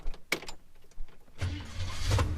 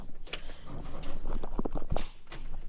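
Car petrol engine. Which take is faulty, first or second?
second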